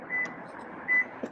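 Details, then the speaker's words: 2024 Lexus TX power tailgate in walk-away close and lock mode: short chirps under a second apart after the button is pressed. This is the normal standby warning, giving 30 seconds to walk away before it closes and locks. "press the button it's going to keep beeping I have 30 seconds to gather my things and walk away"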